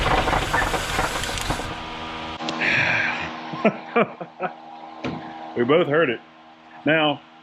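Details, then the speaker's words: 1978 Chevrolet Nova Custom with 305 V8, first run after sitting over 30 years, fresh battery: rough idle with a sharp regular knock following engine speed before it dies; deep bottom-end knock, bearing wear suspected. "put a fresh battery in so hopefully we can run it for a couple seconds and it it's it's knocking it's not good but let's let's at least hear"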